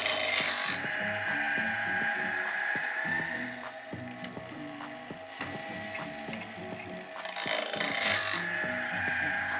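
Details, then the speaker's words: Logosol Grindlux bandsaw blade sharpener after the grinding disc was lowered via the feeding arm: brief bright grinding bursts alternate with regular ratcheting feed clicks about four a second. It is now grinding both the tooth face and the gullet correctly. "As you can hear, we are grinding a little bit on the face and a little bit in the gullet as well. And that's perfect."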